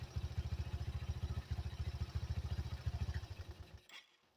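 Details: 1985 Yamaha Motor 4 after carburetor replaced old-to-new: soft, even low thumping at steady idle with no misses or clatter before being switched off; running properly.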